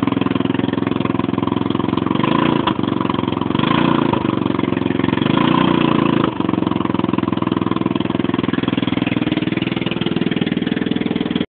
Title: Loud noise coming from 150 cc scooter